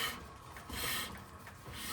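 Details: Volvo 240 rear brake: dry rasping scrape swelling and fading as the wheel is turned by hand; metal rubbing, owner suspects pads worn through.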